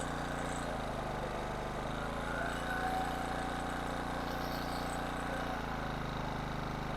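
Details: 1500 W King Canada generator with Chinese petrol engine, bought as a non-runner with suspected carburettor fault; after repair and adjusting speed from 71 Hz/190 V, steady even drone with no surging or misses, running normally until carburettor run dry.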